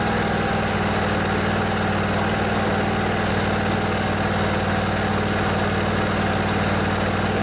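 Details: Craftsman DYS 4500 riding mower, 24 HP Briggs & Stratton Intek twin, after storage and a full service with the fuel tank cleaned and the carburetor refilled. Steady, even thrum at constant speed with no misses, surging or knocking; running smoothly.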